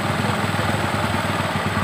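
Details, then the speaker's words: Carburetted motorcycle, idle raised to about 2000 rpm: quick even exhaust thumping that sags slightly as the air screw is turned right (clockwise), the rpm drop that marks the mixture setting. "Nah, setelah tinggi, kira-kira udah stabil, baru kita putar yang bagian setelan udara ini ke kanan sampai RPM-nya menurun."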